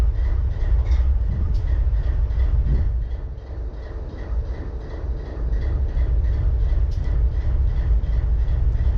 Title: BNSF 4583 IDLING WITH MISFIRE